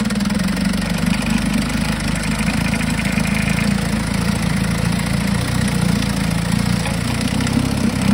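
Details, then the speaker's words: 1952 Johnson SeaHorse 10hp two-stroke outboard revived without new parts; steady even buzz at constant speed, no misses or knocks; runs good, though needs pull rope, O-rings, grip and small gas leak fix. "Okay, well, it runs good, other than needs a pull rope, some O-rings, looks like a twist grip, and a little bit of a gas leak fix there."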